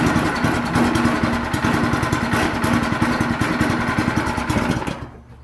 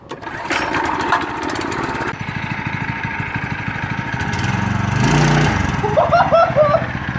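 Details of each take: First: Yerf Dog/Murray go-kart with Predator 212cc 6.5 hp engine on the original rubber motor mounts, first start: single cylinder thumps fast and unevenly with loose rattling; engine vibrating hard, chain flopping, so mounts were removed. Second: Yerf Dog/Murray go-kart with Predator 212cc 6.5 hp engine, max torque clutch: small single fires up, putters, then revs smoothly and pulls cleanly without stumbling; runs healthy.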